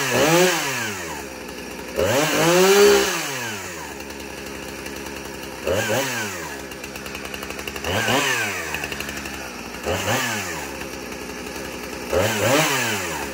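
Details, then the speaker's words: 2010 Husqvarna 455 Rancher chainsaw with broken chain brake blipped from idle to full revs and back several times, crisp even response; owner calls it a good runner, normal healthy two-stroke running. "So it's a good runner."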